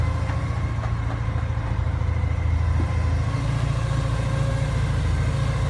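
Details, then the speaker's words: Porsche 944 idling with a steady low rumble and a faint thin constant whine not present before, idle also jumping and uneven; source of the whine not pinned down. "Something's whining in there that didn't whine before."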